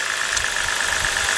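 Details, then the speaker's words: 2011 BMW 328i 3.0 with P0302 cylinder 2 misfire, new coil fitted: lumpy uneven idle with regular missing pulses; unplugging cylinder 1 coil made the misfire worse, unplugging cylinder 2 changed nothing. "I noticed it. Did you notice the misfire got worse?"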